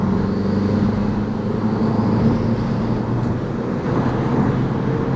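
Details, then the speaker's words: Audi TT Mk1 Quattro turbo under hard acceleration at about 15 psi boost, after reconnecting the turbo actuator pipe; clean pull with no stumbling, popping or misfires, owner suspects the pipe had a split or leak. "Oh, that's pulling so much better. I wonder if there was a split in the actuator pipe or something of me changing it, not changing it, but me reconnecting it has sealed it."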